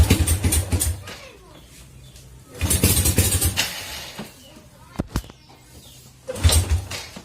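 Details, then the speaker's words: Honda Supra Fit (first generation) single-cylinder, hot: short uneven revving bursts that stumble between blips, idle limping, hard starting when warm; ignition parts checked fine, automatic camshaft decompressor suspected sticking and to be removed. "seperti itu teman-teman, dia pincang-pincang. Jadi apa penyebabnya?"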